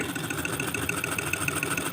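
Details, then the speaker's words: Ceiling fan that a customer reports as very noisy, before repair: regular sharp ticking, about seven clicks a second, over the steady hum; abnormal running noise, cause not yet found, said to risk burning the coil. "कितना गंदा sound है और कितना भयानक sound है आप सुन सकते हो इस तरह से अगर पंखा चलेगा तो पंखा कोयल जलने के भी खतरा रहेगा"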